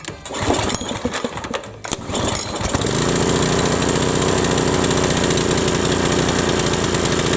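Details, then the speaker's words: Briggs & Stratton 7.75 Ready Start mower engine whose governor tab had been bent; catches after a few pulls, then holds a high, hard, unchanging buzz well above normal speed: racing from a broken governor inside. "runs real crap you don't so we're gonna pull the motor off we're gonna pull the oil pan off and we're gonna look inside and you're gonna see that the governor is all busted inside"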